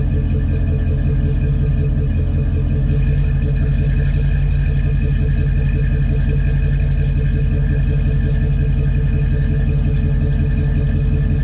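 Deep, steady V8 burble with an even, lumpy rhythm and no knocks or ticking; a healthy idle.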